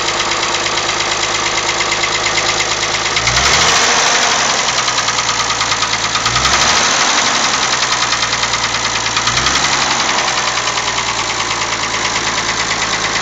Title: Mazda Mx-6 KLZE Knocking sound